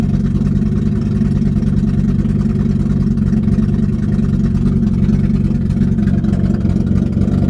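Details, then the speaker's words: BMW E30 with worsening hard-starting and flooding, just started: loud low rumble with irregular stumble and skip, slowly smoothing as it clears; owner says worst start yet, cause unknown. "Got a little bit of skip to it right now, but it smooths out."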